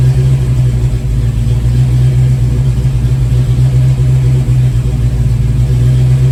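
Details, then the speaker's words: 1987 GT V8, warm, after throttle blade opening adjustment for hot crank/no-start and surge: starts easily, holds steady low idle with only faint slow rise and fall, mild idle surge remaining. "start it up again fairly easily and just a little bit of idle surge and not even as dramatic"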